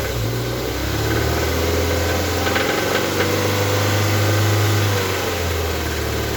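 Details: Toyota MR2 Mk3 at idle: a light, fairly regular knock about four per second rides over the low drone, source unclear; engine knocking at idle.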